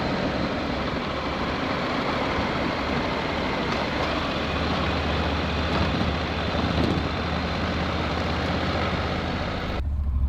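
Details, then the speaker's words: Motorcycle on a touring trip that lost power on the freeway right after a fuel fill-up: a steady low idle with an even beat and no obvious knock or miss, though the bike lags power. "just got on the freeway it just felt like there's no power and it's just something wrong with the engine or something"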